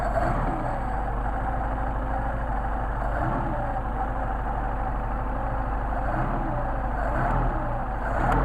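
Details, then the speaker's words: Mercedes 190SL with tested Solex carburetors, cold engine; steady drone with speed creeping up as the choke lever is moved, since the choke lever also moves the throttle linkage, so idle lifts with choke as expected. "you're actually moving the throttle and that's part of why the choke cable is still hard to pull"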